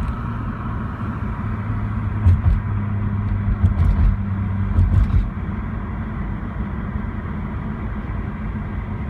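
Rotary rumbling at idle with uneven stumbles and lumpy bursts for a few seconds, pointing to a misfire.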